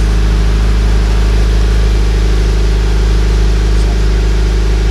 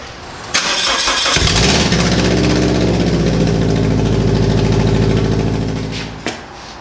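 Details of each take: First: Subaru BRZ petrol boxer after fitting a Nameless Performance overpipe and front pipe with a Zeta catback and fixing an exhaust leak: warm-up idle slightly raised, smooth and even, no ticking. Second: Subaru BRZ on first start after installing a Nameless Performance overpipe and front pipe with a Zeta catback: the engine fires into a loud, raw, chuffing idle as exhaust leaks out the front at the manifold.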